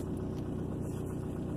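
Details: 2003 Ford Focus formerly throwing P0302 cylinder 2 misfire, fixed with head gasket sealer in the cooling system, no codes now: smooth, even low idle with steady firing pulses, no miss; normal idle.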